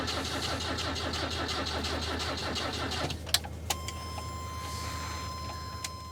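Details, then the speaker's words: Toyota Corona sitting for years: starter drags the engine slowly, under three turns a second and unevenly, then quits without firing; slow cranking, flat battery suspected, and later found to have no ignition spark. "I'd say without a charged up battery, there ain't no way that's starting."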